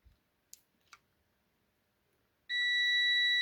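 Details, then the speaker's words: Parkside PTBM400 A1 drill press that trips the house power when switched on, switch wires disconnected, tester on continuity across the motor leads: faint probe clicks then a steady high beep, reading about 20 ohms; motor winding intact. "Теперь берем тестером, звоним на проводах и потом звоним на выключателе. Включаем на прозвонку и ставим на провода."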